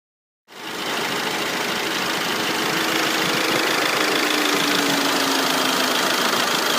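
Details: Audi PD170 TDI diesel with long-standing strong exhaust fumes and now smoke: after start the idle has an uneven beat about four times a second with hissy clatter, sounding like a misfire.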